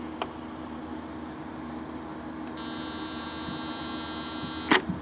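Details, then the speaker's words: Electric mouse trap firing, simulated by pushing the tab down: faint room hum, then a steady high electric buzz for about two seconds ending in a click; trap working normally. "But basically he gets to about here, touches, and you hear that buzzing, which I can actually simulate here for you."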